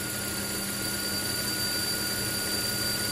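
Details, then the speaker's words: Volvo XC90 (2007-2014) engine after replacing the PCV valve oil trap, which had caused a noise for 5-10 minutes after start-up: steady, even idle with a constant high hiss and no irregular noises; the noise is gone, normal idle. "y ahí estamos listos mi gente como pueden ver ya colocamos la pieza nueva es la vieja ya he vehículo no está haciendo sonido"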